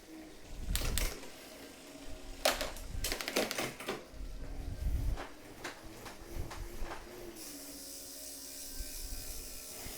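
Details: Tacx Neo smart trainer freewheel after ten months of use, grinding behind the freewheel plate resolved: light, scattered ratchet clicks while coasting, no grinding or scraping. Freewheel sounds healthy.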